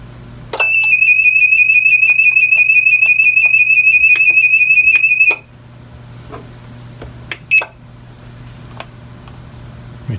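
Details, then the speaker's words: APC Back-UPS 550 found in trash, with a lamp plugged in: relay clicks, then a steady high-pitched alarm about five seconds with the bad-battery light flashing; battery suspected as the failure. "now it's alarming see it's working so hmm interesting see it that battery is flashing on there bad battery so that would lead me to believe that it is the battery"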